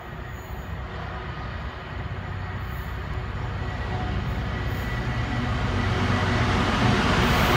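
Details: Class 66 locomotive 66704 hauling a freight train past Spalding: steady wheel-rail roar growing on approach, unusually rough and noisy, apparently after rail grinding.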